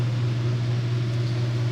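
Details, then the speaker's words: Vintage Lennox blower with old GE motor on a new belt: steady low motor hum under an even rush of air, no belt squeal or slap; remaining noise is the motor, which has no isolation from the blower chassis, and it runs well. "got quite a bit of airflow to it just moving [Music] moving a good bit of air it's that noise is just the motor there's no isolation between the motor and the chest with the motor in the blower chassis"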